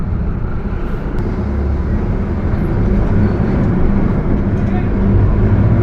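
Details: Mercedes-Benz OF 1721 bus, Torino S body (Viação Estrela 100.141), while driving: heavy low roar with a steady droning tone under the engine; the differential is roaring.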